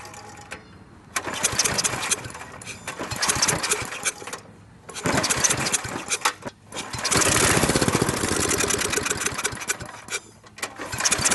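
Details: Briggs & Stratton industrial small engine with a new carburetor, and the fuel pump's vacuum tube refitted correctly after being hooked up backwards. Repeated bursts that catch briefly, rev and die before it runs: extremely hard to start.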